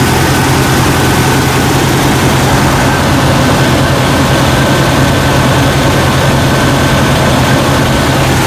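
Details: Jeep Cherokee XJ 4.0L that failed to start the night before, idling while the alternator output is checked, reading about 14 V, alternator good: steady, even idle with a low smooth drone and no knocks, misses or squeals.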